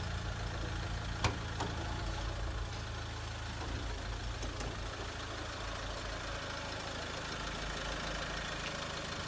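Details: Mahindra XUV500 diesel after full engine overhaul (pistons, rings, bearings, head, valves), bonnet opened; steady low idle with even soft rumble, no knocks or rattles; no noise, normal idle.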